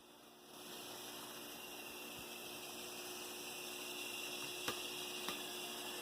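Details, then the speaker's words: Two Bachmann F9 pancake-motor diesel locomotives wired together to share power, at yard speed: faint steady hum with a light whir, no knocks or grinding; the usual pancake motor sound, acceptable. "Okay, so you still got a little pancake motor sound, but as we saw in the other two, the 38 and the 50, we can deal with that sound. That ain't that bad. It ain't terrible."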